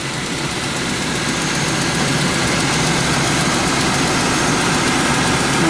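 Constant idle with a steady hum and rapid even pulse, no clear knock standing out; the engine is idling normally as it warms.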